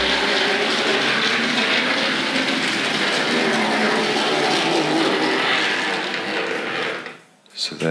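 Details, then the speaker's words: Tri-ang Hornby R.754 M7 tank locomotive (c.1967-70) running: busy, buzzy rattle with a fast chatter over the small motor's whir; motor chatter, armature previously modified to limit movement, cause not confirmed. "you hear that that chatter coming from the motor"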